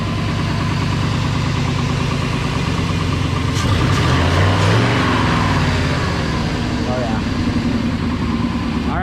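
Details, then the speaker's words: 1999 Ford F-250 after a swap to a 5.4 V8, first start: deep, even idle with a steady low rumble and no knocks or misses; owner says it runs pretty good and purrs. "they don't run that runs pretty goddamn good listen to that baby purr"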